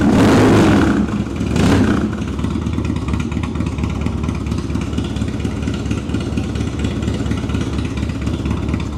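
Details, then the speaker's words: 1999 Harley-Davidson Dyna, carbureted 88 cu in Twin Cam V-twin, choke out, cold start on a jump pack (weak battery) with a newly fitted Sawicki Speed exhaust: catches, blips hard twice, settles into a lumpy, even idle with a deep note, normal. "Wow. What do you guys think? Bike sounds awesome. I think it does."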